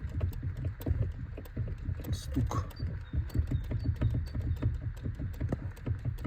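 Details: Hyundai Elantra electric power steering column, cabin knock: loose, irregular light knocks from the column motor as the wheel is turned; worn damper coupling gear in the EPS motor, part 563152K000FFF.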